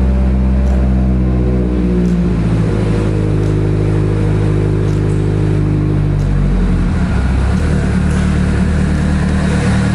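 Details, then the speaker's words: Mitsubishi Evo 8/9 that cut out 10-15 seconds after starting from a failing main fuel pump relay losing trigger signal, now jumped to run: steady, even deep rumble with no misses or cut-outs. "So yeah, it runs. I'll actually turn it on for you guys so everybody can hear it."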